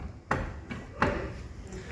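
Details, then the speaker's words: Nissan Tiida front suspension moved by hand gives sharp metallic clunks from a worn ball joint with play and a dislodged ring; on this car the ball joint is not replaced separately, the whole control arm assembly is. "aí rapaziada ó Tida cliente chegou na oficina reclamando um barulhinho tá ó o"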